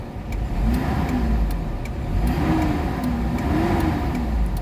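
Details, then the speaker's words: Mitsubishi Adventure petrol engine before XADO treatment, throttle delay and low power; revs rise slowly in repeated blips, only pulling strongly near 2,000 rpm instead of 750-800 rpm, sluggish response attributed to slight compression leak. "Ibig sabihin singaw siya ng kaunti. Nasa 2,000 RPM bago magalit yung makina."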